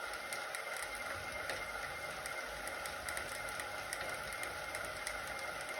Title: clicking noise zwift ride